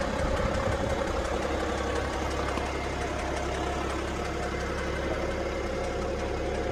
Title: BMW 530d knocking noise?